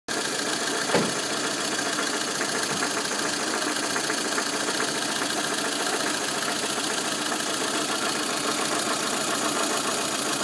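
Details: VAZ 2114 engine at steady idle with a light, fast ticking chatter from the timing belt cover end; the cause turned out to be camshaft axial end play.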